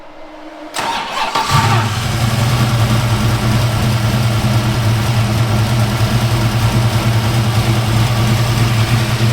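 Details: 1986 Mustang small-block V8, about 12:1 compression, running a 93-octane/ethanol and race-fuel mix, restarting after the distributor was pulled and reinstalled: the starter whirs briefly, then it catches and settles into a lumpy but steady ~1100–1120 rpm idle with no knocks; normal start.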